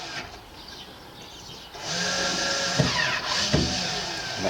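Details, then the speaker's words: Touring caravan ATC stability control switched on from the auxiliary circuits during a chassis service: a quiet hum, then a steady whirring motor starting with light clicks; normal power-up, indicator goes green. "So I'll do the ATC. The ATC will come on. You'll hear it."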